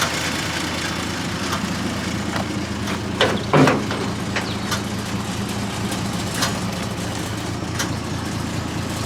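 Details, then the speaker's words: 1948 Dodge B1C pickup, flathead six, 4-speed manual, long-stored non-runner now running after new start solenoid and ignition switch (starts on 12 volts): steady, even idle with one clean throttle blip that rises and settles; tapping/clicking is the voltage regulator. Normal idle and rev. "but it runs absolutely beautifully [Music] as you can hear and it revs up"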